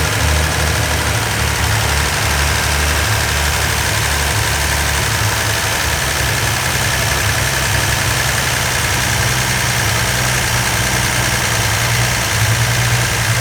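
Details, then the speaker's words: Freshly rebuilt 170 slant six in a Valiant, first run for cam break-in with the carburetor idle screw turned up to hold about 2,000 rpm for 20 minutes: steady, even high idle with a smooth low hum, no knocks or misses. "The idea here is we want to keep it running at around 2,000 RPM for around 20 minutes to get a good break-in on the cam. So we've already turned up the idle screw on the carburetor."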